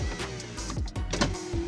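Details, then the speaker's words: 2013 Toyota Avanza 1300 cc, which has been failing to crank: faint motor hum with clicks and thumps as the power window opens slowly and weakly; a sign of a dropping battery or alternator fault, cause unconfirmed. "nah ini masih kuat untuk membuka power pelindung tapi kalau untuk membuka powerindo itu pelan dan teman-teman kekuatannya tidak normal"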